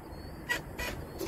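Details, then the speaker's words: 2007 Volvo 780 truck with a Volvo D12: a few dry single clicks about a third of a second apart and no crank. The batteries are new, so the fairly new starter is faulty, possibly with a dead spot. "hear that so you got to click no crank situation and I know I know it's not the batteries cuz the batteries are new as you see you turn the key enough times it'll start so this something faulty in the starter um a dead spot or something"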